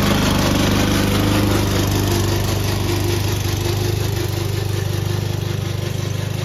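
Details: Old Toro Recycler lawn mower: engine running steady with rapid even clatter about three and a half beats a second from a dry, noisy drive system; noise later solved with WD40.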